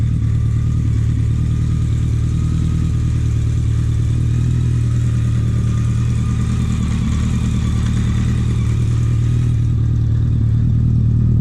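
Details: BMW K100 four-cylinder café racer build, just started for the first time after the wiring fix: a deep, steady burble holds an even beat with no misses or rattles. A clean, healthy idle.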